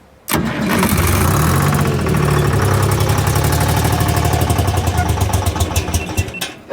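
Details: Michigan 55A loader, 3-53 Detroit Diesel rebuilt after 14 years abandoned and seized from water in cylinders: fires and roars, then beat goes ragged and pulses slow until it dies; air suspected, not confirmed.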